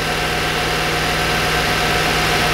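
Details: 1992 Corvette after exhaust repair, engine just into closed loop: steady idle with a faint, uneven stumble in the exhaust note, a misfire at idle.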